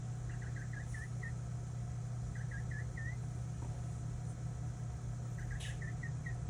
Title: PC chirping noise?